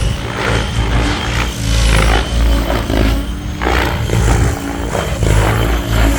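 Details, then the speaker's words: 700-size Goblin nitro helicopter on Switch blades after blade tracking and raised rates; a steady rotor hum with a harsh, ragged roar surging about once a second, the blades loud and rough from being pushed hard, being slower than RotorTech blades. "now you can hear that they sound pretty horrible because they're being pushed pretty hard and they're freaking loud"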